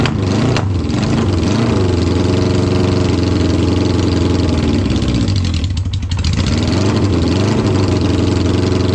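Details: 1972 Honda 500 Four, cold, idling statically after a carb and fuel fix: a lumpy, uneven idle stumbling about four times a second with one cylinder dead. Misfire from a gas-fouled plug; a new plug fixed it.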